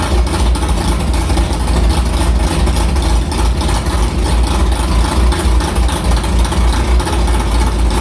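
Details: Carbureted V8 hot rod after the Prosystems carb's idle air bleeds were changed from .070 to .055 following a track carb issue, ~80°F day, started quickly; deep, lumpy idle steady around 1150 rpm, even beat, no stumbles, a normal idle.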